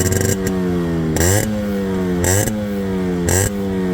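Crisp, clean throttle blips about once a second, each climbing and settling back to a steady crackling idle; a healthy two-stroke.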